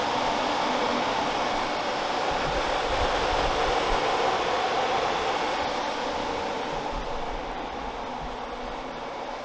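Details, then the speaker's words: Toyota AE86 4A-GE, both electric radiator fans switched on during the swap of the raccoon-damaged radiator for a new one: steady rushing airflow, even hum, no ticking, scraping or wobble; both fans running normally. "Got it plugged in, so we're gonna kick on the fans and make sure they're both working. Woo. Oh yeah, they're both pulling air."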